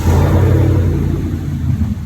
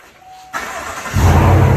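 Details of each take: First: 2019-2021 Chevrolet Silverado 1500 during DIY cold air intake install with intake air sensor unplugged: runs loud and lumpy, then sags and stumbles and dies; truck does not like missing its sensor. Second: 2019–2021 Chevrolet Silverado 1500 with a DIY cold air intake fitted: starter catches and the engine fires into a deep, even rev and holds steady. Normal engine start.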